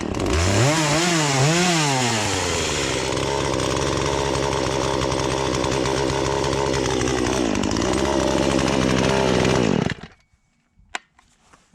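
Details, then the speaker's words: Poulan Pro two-stroke chainsaw, sat unused about three years, after carb adjustment; blips up and down then holds a strong even scream through the log cut without bogging or stalling before shutting off; teeth may need sharpening; running properly. "so let's cut and fine besides i probably need to sharpen the teeth up but i got it where it's not stalling out as you're cutting through"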